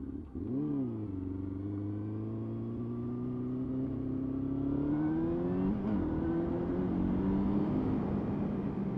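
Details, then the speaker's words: Motorcycle that runs fine for about 20 minutes, then runs rough and loses power once warm. Under load the note wavers and climbs unevenly; the owner is unsure of the cause. "like it runs all right for a while and then after running for about 20 minutes or so it'll start running like I'm really not too sure what's going on with it so I don't know if you can hear how my freaking engine sounds right now"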